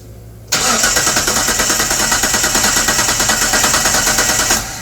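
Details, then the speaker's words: 1998 Mitsubishi 3000GT base SOHC 3.0L V6, sat over 12 years, distributor plugged in: steady starter whirr with even cranking beats about three per second, never firing; no start, coil not getting power, no spark. "Okay, quit. So, our coil's not getting power for sure."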